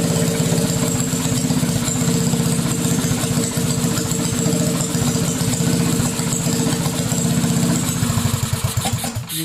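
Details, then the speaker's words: Mini bike with aftermarket carburetor, after catch can install: loud fast single-cylinder putter with uneven, slightly stumbling beat before cutting off; not running smoothly, carburetor still needs tuning. "I know it doesn't sound right perfectly so in the next video I'll tune the carburetor because it just isn't running as smooth as I want it"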